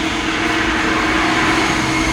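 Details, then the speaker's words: Bucket (portable) washing machine after replacing the faulty timer, which had left the impeller turning one way only; new timer on and the impeller now reverses direction. Steady motor hum with even tone and light rush, no grinding or stalling; normal running. "ಹೊಸ timer ಹಾಕಿದ್ಮೇಲೆ 2 ಕಡೆಗೂ rotate ಆಗುತ್ತೆ. ನೋಡಿ, ಇವಾಗ opposite ತಿರುಗುತ್ತೆ."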